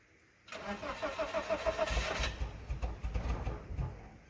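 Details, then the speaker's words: BMW Z3 four-cylinder, sat unstarted about four years: quick crank of a few turns, catches at once and settles into an even idle on all four cylinders; a surprisingly clean start. "it's oddly it hasn't started for four years or something the fuel shouldn't even be there but it's running on all four cylinders"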